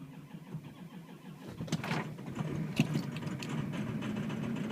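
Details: 2003 Ford F250 6.0L diesel cold start at about 3 degrees, wind chill -15, front blanketed: cranks about 1.5 seconds, catches quickly into steady, even diesel clatter; clean, healthy cold start.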